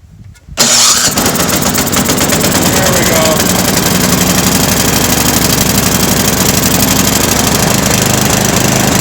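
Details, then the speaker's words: Toro Power Max 826 snowblower, first run since last year, fuel valve left on, electric start after a failed pull start: brief crank, catches at once and runs evenly with no surging, choke off once warm; possible pilot-jet blockage cleared itself. "So, we've run the machine and once it warmed up and got some fuel through it, I was able to run the machine with the choke off, which is a good sign. And there was no surging once it warmed up."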